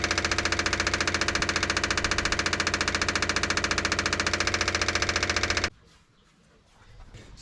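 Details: 1957 Chevy after fuel tank cleaning and reinstall, extra five gallons added; even starter cranking about three and a half turns a second for nearly six seconds, never catching; cranks but won't start, fuel delivery suspected, unconfirmed.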